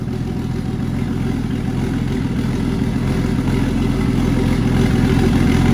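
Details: Turbo Jeep Comanche 4.0 that spun a main bearing during a burnout, motor described as almost toast but still running: deep, steady thud about three or four per second under the idle rumble, spun main bearing knock.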